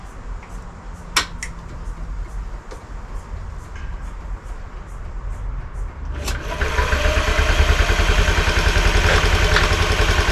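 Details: 49cc Honda Scoopy (Metropolitan) scooter revived from non-running, after ECU relay and fuel pump troubleshooting: light clicks, then catches at about six seconds and settles into steady, even putter; starts and idles normally.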